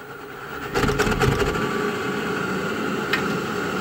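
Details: Navien NR-240A water heater: quiet start, then rough rattling surge and loud uneven burner roar. Also has error 12 flame-outs and uneven hot water despite cleaning, flushing and a new flow sensor. Cause not found.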